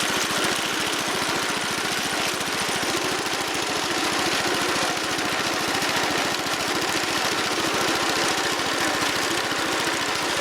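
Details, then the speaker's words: Wheel Horse Commando 800 tractor with 8 hp pull-start engine, after sickle bar mower belt replacement: a steady, even engine drone at constant speed with no knocks or misses; runs healthy. "Looks like we're back in business. Okay, got her fired up and got her in the transport position."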